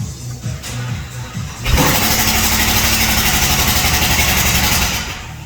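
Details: 2016 Chevy Camaro 6.2L V8 driven unknowingly low on oil (about 5 quarts recovered), with a cylinder 4 misfire code: it cranks and fires into a loud, rough run with a steady rhythmic knock from oil-starvation damage.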